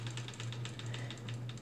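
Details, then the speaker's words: Bell & Howell Filmo 8mm projector with no broken belts, reel spun by hand; quick light ticks about eight a second over a low hum, ratchet clicks one way and locks in reverse; works fine. "hear the ratchet go but if I spin it in Reverse it won't go and same with this one you can hear the ratchet if I spin it this way"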